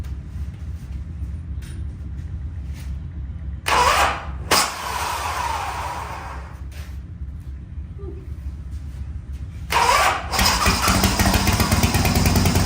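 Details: 1985 Harley-Davidson FXRS Evo V-twin, sat five years, just fitted with a different carburettor, oil mixed into fuel, smoking heavily: catches and settles into a lumpy, uneven idle with a couple of blips; runs fine.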